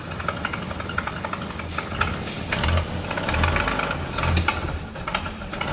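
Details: 1932 Bedford WLB/Waveney bus, first start after overhaul: old engine chugging unevenly at a slow beat, a bit rough as it warms, but it keeps running and settles to idle.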